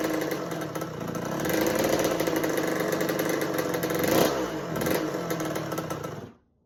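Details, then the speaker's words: 1986 Kawasaki KX125 two-stroke dirt bike after choke fix and petcock turned on, carb bowl full: revs raggedly, hangs then sags, won't hold a steady idle; owner suspects lean running from insufficient fuel, pilot jet already large, considering needle position. "I'm like, what else could be causing this bike to run lean and not idle? It's It's not getting enough fuel"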